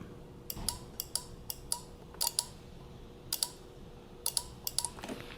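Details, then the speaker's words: 12-volt automotive relay tested with coil pins 85 and 86 wired to the car battery, microphone next to the relay: sharp, crisp clicks in on-off pairs, about seven times. The relay is switching and making contact properly. "That's how you'll know the relay is at least clicking and making contact."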